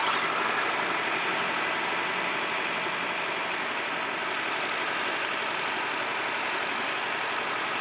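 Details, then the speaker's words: 2004 Acura (Honda) 2.4 i-VTEC DOHC with misfire codes P0301-P0304, idling while coils are unplugged one at a time: steady rough idle with faint uneven pulse, no change when one coil is pulled; dead cylinder misfire from failed ignition coil, fixed with new coil. "and you see the engine changes sounds so that quill is good there this one here is definitely bad"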